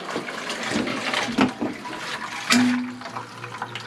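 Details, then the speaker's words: Electric hot-water boiler rebuilt, lines refilled after reopening the valve; rushing, gurgling water with uneven spurts and a brief low hum as trapped air is pushed out of the heating lines. "okay and just the trailer while on I should be able to push that down and get some air out"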